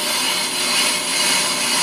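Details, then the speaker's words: Ammco brake lathe machining a brake drum, 0.002 in cut per pass, speed raised: steady, even hiss of the bit shaving across the drum, no chatter or squeal; clean, normal cutting pass. "going to hear that uh bit coming across the drug it's making it get cut usually it takes about oh 3 4 minutes for that bit to go across the drum"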